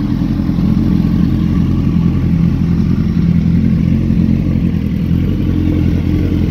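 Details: Gen 1 Suzuki Hayabusa after fixing a leaking radiator with a gen 2 radiator and double fan upgrade and refilling coolant, noisy Chinese pump fitted: deep even rumble holding steady, no knocks or misses; starts and runs cleanly before test ride.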